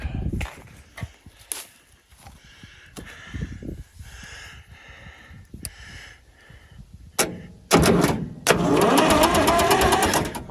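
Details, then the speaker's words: Massey Ferguson 200 crawler loader, three-cylinder Perkins diesel, battery fitted, cranked via starter solenoid; starter spins engine in rhythmic chugs but it never fires; cause unknown. "spins over let's give it just a little whiff nothing going give it one more try not any not any sound at all with ether"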